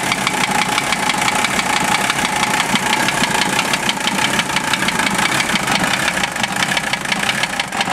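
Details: Mercedes OM617 diesel swapped into a Toyota, warmed 2-3 minutes, idling: sharp fairly regular knock at about engine speed; unchanged by valve adjustment or cracking injectors; owner suspects piston/connecting rod, unconfirmed.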